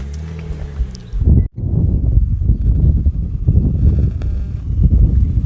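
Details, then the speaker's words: Older used car under pre-purchase inspection: engine fires up and settles into a low, quiet, even idle with no belt squeal, howling or grinding and no blowback; normal idle, engine seems sound. "so this engine seems like it's checking out pretty good it's nice and quiet"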